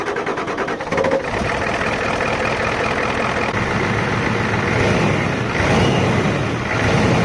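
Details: 1993 Ford F250 7.3 IDI factory ATS turbo diesel, 280,000 miles, first start after replacing all glow plugs and the leaking injector return lines: brief crank, catches and settles into an even, clattery idle with no misses; runs healthy.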